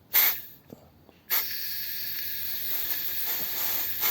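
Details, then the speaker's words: 1957 Ford Thunderbird carburetor, air forced through a passage: short bursts of thin, choked hissing, strangled rather than free-flowing; the passage is crusted and virtually completely blocked. Blocked carburetor air passage. "there's like a really restricted sound in like a really restricted sound in air delivery see that's not coming out that piston look it it's virtually completely blocked"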